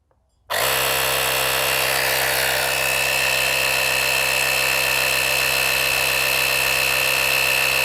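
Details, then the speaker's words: Auxito AJ01 portable jump starter air compressor inflating a tyre from 62 toward 70 psi: constant high buzzing motor drone with a thin whistle, the reading not changing. Slow inflation at high pressure. "It is pumping it up, but it's like it's slow. It doesn't read. It doesn't feel like it reads accurately on something with this high pressure."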